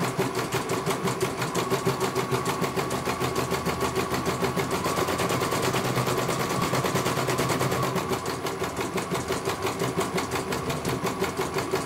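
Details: CNY computer embroidery machine in for service from Banjarnegara, Central Java, that arrived with its motor (dinamo) not turning and the bobbin case missing; now steady, rapid needle clatter about three stitches a second, no knocks or grinding, one colour completed well. Normal stitching.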